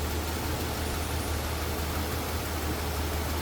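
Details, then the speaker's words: 1983 Mercedes-Benz 380 SL convertible, 3.8 L V8: low, steady idle burble with an even beat and no knocks, ticks or misfires; a smooth-running, healthy engine. "nice smooth Runner no doubt about that 3.8 L V8"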